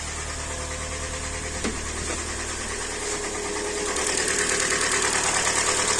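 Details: Hyundai Elantra, 2014 or 2015, G4NB 1.8 naturally aspirated aluminium engine, automatic, 51,000 km, knock began after a frosty start; warm idle with sharp regular tapping about three per second; engine knock at idle.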